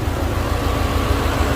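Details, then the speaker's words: Subaru WRX/STI idling with AC on after replacing a seized, stiff AC idler pulley and retensioning the belt: steady low rumble with no squeal, chirp or bearing whir, much quieter than before. "I got the AC on. It's a lot quiet now. That pulley right there, wow."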